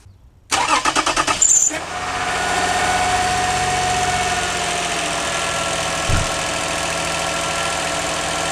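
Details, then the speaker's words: Toyota Sienna with original starter, intermittent no-start: after tapping the starter, about a second of quick cranking, then engine catches to a smooth steady idle; worn starter brushes suspected, replacement advised. "sometimes it started got worn out the brush and that's why the brush it's not touching it when you hit like this the brush jump to connect it so that's why starting"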